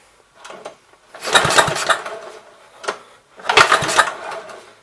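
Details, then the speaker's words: 1970 Gravely Commercial 8 garden tractor, sat a few years: two roughly one-second bursts of cranking that never catch; no-start with weak spark, owner suspects dirty ignition points, to be cleaned. "hopefully you guys will be able to see that but it's got weak or very little spark you guys see any better there maybe but it's got weak spark"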